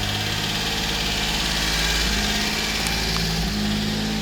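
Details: 1990 Subaru Sambar dump truck, 660cc four-cylinder, two-wheel drive, 36,000 km: steady, even idle with a smooth low thrum and no knocks or misses; engine running healthy.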